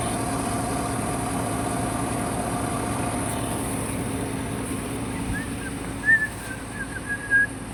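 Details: Chevrolet Silverado after replacing the #1 and #6 injectors: quiet, even idle with a soft steady hum and no stumble or skipped beats; misfire gone, normal idle.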